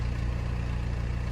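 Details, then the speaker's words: Pontiac with 146,000 miles after starter replacement, restarted with a fuel smell present: fires right up into a deep, even idle rumble with steady firing and no misses, knocks or ticks; normal idle. "We might let this thing run for a minute. Smells like gas in here. Oh, that's nice. Fires right up now."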